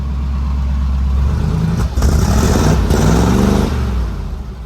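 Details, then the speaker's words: 1947 Ford with Fenton manifolds and a freshly swapped T5 5-speed, first start after filling the transmission with oil: low, mellow exhaust burble rising briefly on a throttle blip, then settling quiet and even. Healthy exhaust; described as so quiet. "Finally got oil in the transmission so we can actually start it and see what this exhaust system sounds like. It's so quiet."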